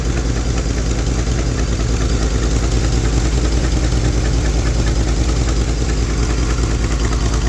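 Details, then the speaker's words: 1971 Lincoln Continental Mark III V8 with new Edelbrock Performer intake, Street Demon 625 carb, mechanical fuel pump, fresh head gaskets: idling with soft uneven puffing tick over low rumble; owner suspects exhaust manifold leaks, cause not confirmed. "sounds like I have some exhaust leaks."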